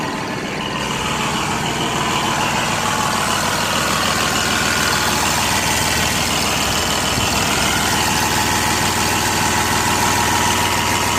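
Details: New Holland 5620 CRDI tractor diesel idling: fast, slightly uneven clatter with beats not quite even cycle to cycle; engine misfire.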